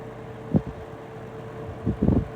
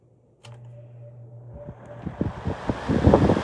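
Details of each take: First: Vintage Penn Crest 22 hassock fan model 9722 with 3-speed General Electric motor after oiling, on low at about 115 V, 1.0 A: steady hum and soft whir with brief thumps; earlier grinding became a whir, runs smoother. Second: 1960s Penncrest model 22 hassock fan, model 9722, three-speed General Electric motor, cord repaired: low motor hum then a steadily building rush of air as blades reach speed; clean, normal fan startup.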